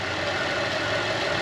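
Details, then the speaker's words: 2010 Buick Enclave CXL V6 with an even, steady idle and constant hum, no stumble or hiss, after the leaking vacuum hose was replaced with a thicker hose with a heat-protective cover, curing the misfire. "lo que hice fue que le puse otro pedazo de de manga grueso más tiene más tiene este cover encima que la protege del caliente y se le quitó ya el Miss fire"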